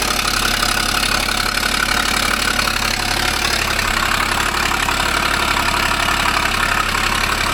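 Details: 2012 Ford Falcon FG XR6 Turbo at idle: steady, rapid puffing tick, roughly four a second, over a smooth idle; exhaust leak.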